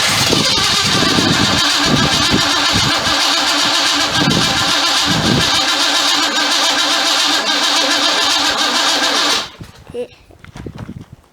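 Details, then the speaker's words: 1976 Pontiac Trans Am V8 being rebuilt; owner suspects the distributor and cap cause the popping. The header was also hit while loading onto the ramp. Loud, ragged exhaust beat with popping and uneven pulses. Misfire popping. "needs a distributor for sure because fire distributor cap chances are that's why it's not it's popping and farting and complaining"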